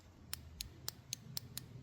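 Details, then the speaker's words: Suzuki TL1000R fuel injector removed and bench-tested with 12 V across its pins while chasing a misfire: sharp crisp solenoid clicks, one injector clicking deeper than others; injectors working, normal click. "That one works. That one works. That one also works, but sounds different. It's got like a a deeper click than the others."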